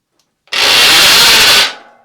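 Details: Giant Twist Double e-bike, ~30V, Sanyo front hub motor, wheel on the ground under hard pedalling: harsh high rasping grind for about a second, then dies away; worn internal hub motor gears, to be replaced.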